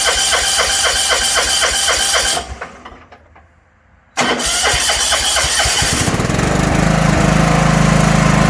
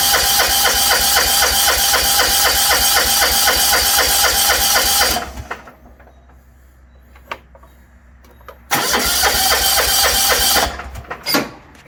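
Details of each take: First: 1980s John Deere 180 lawn tractor: rhythmic cranking, short pause, then catches and settles into steady even run; has spark and fuel, starts and runs properly. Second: 1980s John Deere 180 lawn tractor from auction, carb untouched, choke up: fast even cranking stops dead twice and engine won't keep running; owner suspects the seat safety switch, not confirmed.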